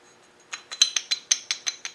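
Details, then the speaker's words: Rebuilt LT230 transfer box with AATB, in high range, gears rocked by hand: about ten crisp light clicks, roughly six a second, from play between the teeth and the drive dog; normal, unavoidable backlash. "the only clunk you hear is that little bit between the teeth and the drive dog"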